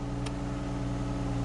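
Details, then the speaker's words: 2010 Ford Fusion SEL AWD 3.0 just after installing a new alternator for P0400 and charging issues; smooth, even low-hum idle with no knocking, ticking or whine, no check engine or battery light; running normally. "All right, that's a good sign already. She's running."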